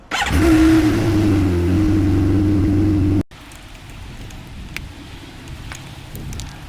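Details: Suzuki GSX-R750 (L3) won't start: about three seconds of fast, even starter cranking, then it stops without the engine ever catching.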